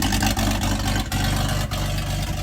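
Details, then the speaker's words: 97-year-old Buick Standard Six with the muffler removed, revved: the exhaust note swells and drops back as something in the exhaust path opens and closes intermittently, with blowback; restriction suspected near the engine. "Anyway, you would think it would be louder than that, but something opened up and you can hear it now. Yeah, something opened up."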